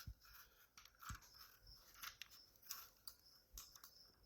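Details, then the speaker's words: Porsche Cayenne 955 range (low/high) switch removed from the centre console and flipped by hand: crisp single clicks each way, so the switch itself seems to work. "Click. Now you can hear it click in both ways. There was no clicking when it was in there."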